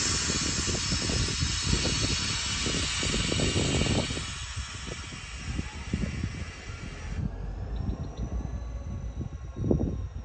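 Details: Chicago and North Western #6847 locomotive failing near Seeman Road: engine revs in uneven surges with loud air hiss, falling back repeatedly as the engineers try and fail to get the train moving; engine failed, cause unknown, train later reversed to the depot.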